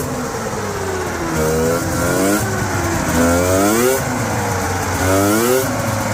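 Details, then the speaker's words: Yard-find Polaris 650 Indy snowmobile (allegedly 1989 or 1990, parked since 2007), running hot: two-stroke revving in repeated swells, pitch following the throttle, with odd extra noise; cause unknown. "What in the world? I don't know what happened, but it's making some noises now."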